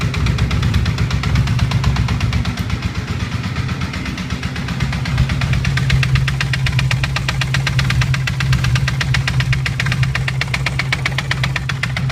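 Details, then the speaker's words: Honda CBR 450 SR motorcycle with an engine oil leak, running with a loose, uneven clatter about four beats a second over the exhaust note; clutch pulled changes nothing, cause unknown: abnormal engine noise. "eu sei que elas um barulho estranho motor vou ligar pra você ver"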